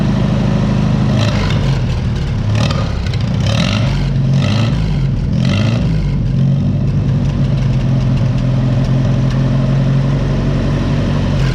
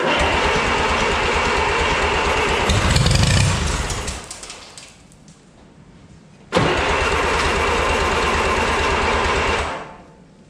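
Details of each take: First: 1955 Oliver OC3 Cletrac crawler, sitting 20+ years, with a Farmall M distributor, new coil and float, and timing advanced, started at about 20°F; it settles into a steady, even, low idle with a deep regular beat and no misses. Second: 1955 Oliver OC3 Cletrac crawler tractor, sat 20+ years, fitted with a Farmall M IH distributor and temporary coil: steady starter chug, about four turns a second, cut off twice without catching; owner suspects stuck carburetor float/needle.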